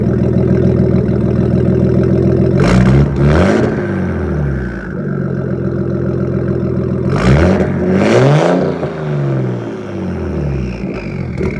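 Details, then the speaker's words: 1993 Nissan Skyline GTS-T, RB-series turbo six with MaxpeedingRods turbo at 15 psi, no tune, recorded from the back: smooth idle and two clean rev blips with turbo whoosh, "sounds like a jet"; normal idle and revs (dirty idle air control valve sometimes nearly stalls). "i think sounds like a freaking jet when the school's down"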